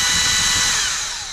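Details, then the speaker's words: Erbauer 18V brushless drill with suspected failed motor driver circuit: high-pitched motor whine holds about a second, then sinks as it coasts down; the drill spins briefly and cuts out. "and then stopped. So, it sort of can work, but obviously not."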